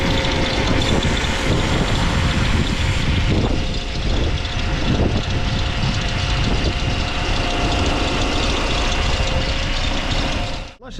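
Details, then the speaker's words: Saab engine at idle: steady idle with a thin whine and chirp riding on top at constant pitch; auxiliary drive belt noisy, went quiet once wetted with brake cleaner, cause unclear at this point. "now it's wed up it's dead quiet The Mystery of the noisy drive belt that is strange"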